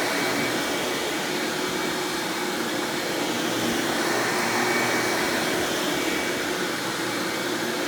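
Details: 1997 Hoover Dirt Finder Power Drive self-propelled upright vacuum, model U6331-930, Elite style, running: steady, even motor roar with smooth airflow hiss, no rattles or pitch wobble; exceptionally smooth, surprisingly quiet, normal running.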